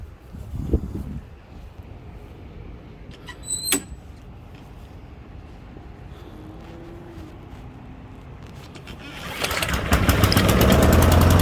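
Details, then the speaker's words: Honda HRN 216 push mower that repeatedly wouldn't start, after the same quick fix near the spark plug that worked before: silence, then catches and settles into a steady, even run without misfiring. "all right there it is so that's what did it the last time and here we go it fixed it again"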